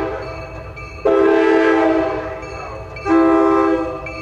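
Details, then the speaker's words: Nathan M-series locomotive air horn being field-tuned, number four bell: two steady blasts each holding one clear even note, no rattle or buzz, diaphragm now seating properly instead of flopping loose; clean note. "but we got the four bell we've heard it below a clean note now"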